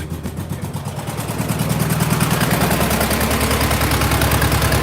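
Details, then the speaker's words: VW Beetle, cold start with no throttle: fast, uneven chuffing idle that wavers and shakes the engine; spraying carburetor cleaner traced it to an intake manifold vacuum leak at the boot on one side. "Now, as you can hear, the car is running rough. Look at it shaking. That's bad engine."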